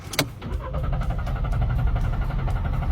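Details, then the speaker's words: Car cranks at a steady beat, about three turns a second, but never catches; crank no start persisting after throttle cleaning and new spark plug, ignition coil and canister solenoid. "It still won't start. Do you know why?"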